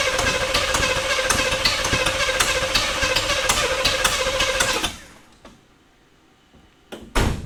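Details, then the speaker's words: 1985 K5 Blazer abandoned 28 years, first start after freeing a seized engine and fitting carburetor and starter: catches and runs rough and uneven with irregular popping for about five seconds, then dies; ignition timing suspected badly off. "I can smell that it fired. Um, but it sounds like something is terribly wrong with the timing."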